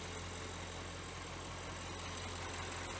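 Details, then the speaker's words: Audi 4.0 twin-turbo V8 idling with the hood up after a spark plug replacement: busy, even valvetrain chatter over a steady idle, inaudible with the hood closed; this engine's naturally loud valve train, normal. "I learned that Audi valve train is really loud on this 4.0 T engine. When you have the hood sealed up, you don't hear the engine at all. But she's running right now with the hood up and all the valves shattered. This engine valve train is pretty loud."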